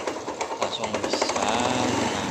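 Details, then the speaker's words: Jialing small motorcycle, similar to a Honda Astrea Grand, unused for years and just serviced with fresh oil and new gaskets: light, quick diesel-like knocking at idle that persists; source unconfirmed. "tadi e motor itu Muni kasar ya kelotok-klotok nah nah sekarang saya udah menerin ini Ini apaaskanda sama ini kopling nah lah tetap masih bunyi kok-kok"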